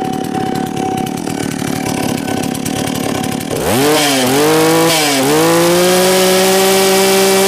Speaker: ragu-ragu ya kalau kita gaspol mantap sekali